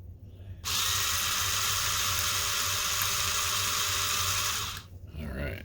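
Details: Coworker's rechargeable spin scrub brush, which ran once before its switch failed, after the broken button was replaced with one salvaged from an old DVD player: it starts cleanly with a steady high buzzing whir for four seconds, then stops. The motor sounds healthy and even.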